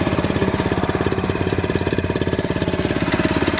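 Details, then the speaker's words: Honda CT70, restoration project, just roll-started after failing to start, air filter off: crisp, regular single-cylinder putter holding an even beat; healthy idle. "And just like that, with the roll start, it's running. Yes."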